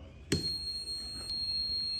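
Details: Fluke RCD/socket tester plugged into a powerpoint in a 1989 house during electrical renovation: sharp click then steady high-pitched continuous tone, loud enough to hear about 10 m away, signalling the circuit is still live.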